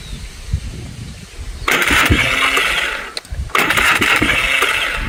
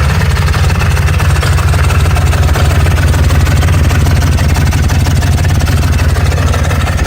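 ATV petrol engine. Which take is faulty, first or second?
first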